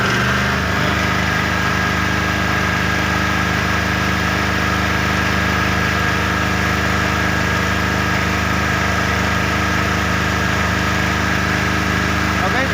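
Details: Small genset running unloaded during a mains (PLN) power cut; smooth even idle with steady hum, no knocks or hunting. Normal generator idle.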